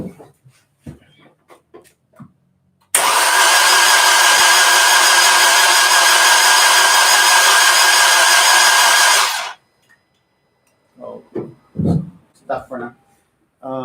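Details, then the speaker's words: Crank-no-start on the Orange Rocket project car after the tune for correctly sized injectors was loaded, with the radiator and fluids just installed: strong, even cranking for about six seconds, but the engine never catches. "but once i don't like it i don't know how but it just won't start"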